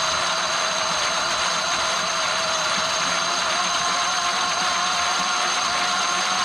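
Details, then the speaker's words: Traxxas X-Maxx RC truck after the Cushdrive repair (the Cushdrive had been chewing up spur and pinion gears): the motor whine now holds one even pitch, not going high-low like before. The drivetrain sounds smooth, though a tight spot remains. "you can hear how it's real consistent now it's not going high low high low high low like the last video"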